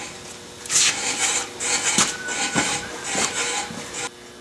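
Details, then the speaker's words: VW Beetle-style front drum brake adjusted via star adjuster, wheel spun by hand: light rhythmic scraping once each turn, still rolling free, just touching in a spot; drum brake correctly adjusted, normal light shoe drag. "I think you can probably hear that drag just a little bit and that's the way I adjust them and uh still rolls free but it just touches in a spot or so"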